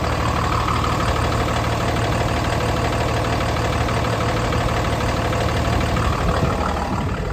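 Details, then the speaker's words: 2013 Freightliner M2 22-ft box truck, 6.7 Cummins turbo diesel, started right up on a very cold day: steady, even idle with smooth low rumble, no knocks or misses, not sounding hard; normal idle. "definitely a healthy truck the engine sounds good doesn't sound hard or anything"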